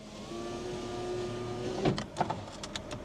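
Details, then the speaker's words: Used car during test drive: steady electric window motor hum for about a second and a half, then stops with sharp clicks; window does not move, suspected failed power window regulator. "Oh yeah, surprise surprise. That one does not work. Window rug's gone."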